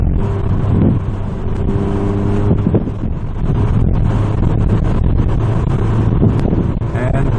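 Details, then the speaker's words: APR Stage 2 VW GTI with APR downpipe, stock exhaust and Vibrant 17950 resonator replacing front muffler to cure drone from 2800 rpm; in-cabin, light acceleration from 2500 rpm: steady low hum, no booming drone, near stock. "Here I'm at 2500 rpm... I'm going to give it just a little bit... so right there. But, come on, that sounds fine."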